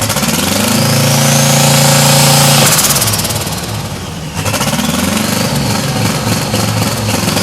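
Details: 1992 Chevrolet Silverado, 5-speed, turbocharged 5.3 LS V8 swap: uneven lope at about 214 beats a minute with a stumbling, missing beat; suspected rich running with at least one dead cylinder, injector flow questioned. Not confirmed.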